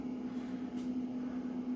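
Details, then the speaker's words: Hybrid solar inverter on a self-built 48 V 16-cell LiFePO4 battery, running off-grid at about 750 W load while charging: quiet, steady low hum with soft fan hiss, no rattles or surging; normal and fairly quiet. "certains disent que l'onduleur est très bruyant, enfin, à 750 W de charge, tu vois que le bruit est assez faible"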